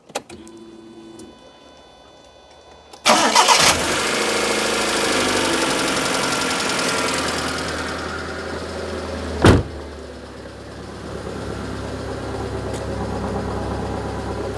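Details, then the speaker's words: Proton Satria 1.5 with misfire and low compression on cylinder 1, after adjusting valve rockers, airbox off: cranks, catches, settles to steadier idle with light fast top-end clatter; valve clearances likely slightly loose. "better. It's better. This is a bit clattering now. Something's off."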